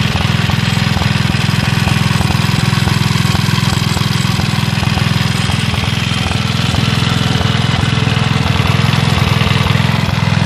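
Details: Villiers Mk 12 stationary engine running on butane camping gas via a regulator: steady, even single-cylinder chuff at a slow constant speed with no knocks or misses; runs healthy.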